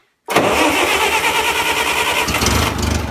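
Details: 1970s Bobcat skid steer with rebuilt Wisconsin 4-cylinder engine, cold start with choke after sitting a month, oil leaking: quick crank catches within a second, then a steady, even idle with no misses or knocks.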